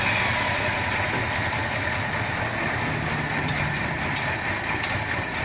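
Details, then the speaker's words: 1972 Ford F250 V8 that sat 10 years in the woods, started on day 2, carburetor needs a rebuild; steady idle with even beat, no knocking or rattles; engine sounds good. "But we got it started, no problem. The engine sounds good."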